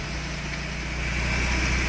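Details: VW AP 1.6 G3 flex engine, warmed to 90 degrees and restarted several times, checked for lifter tapping: smooth, steady idle with no lifter tapping.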